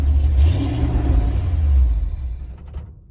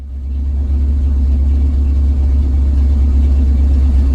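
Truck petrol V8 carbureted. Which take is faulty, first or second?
first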